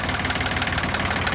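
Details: Yanmar YM1610 diesel tractor (1979-1981, 942 hours), first start after about 10 years sitting: even diesel idle with a steady low chug and no knocks or misses; engine runs normally after long storage.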